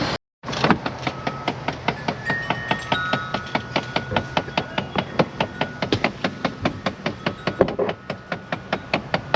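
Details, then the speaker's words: Chrysler 300 after a window motor replacement: sharp, hollow, slightly uneven ticks about 1.5 per second from inside the dash. Owner suspects a blend door motor (jokes it's mice playing drums), unconfirmed. Dash knocking. "got mice in there I thought I had mice playing the drums or something sounds like a blend door motor well no it's definitely mice playing drums"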